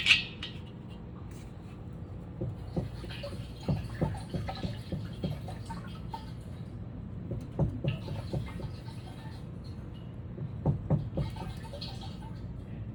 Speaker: If we hear water up top, the only way water is getting up top is if the bladder is broken.